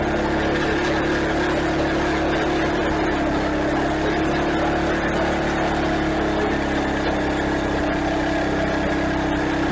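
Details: Craftsman garden tiller test-run just after replacing the old worn belt through the pulleys and tensioner, belt guard still off; steady even small-engine drone with no knocks, slaps or drive squeal: normal running.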